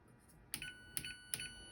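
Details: Whirlpool Duet dryer, just plugged back in after replacing rollers, pulley, belt and related parts from a repair kit: three bright, evenly spaced chimes about half a second apart as the control board powers up normally.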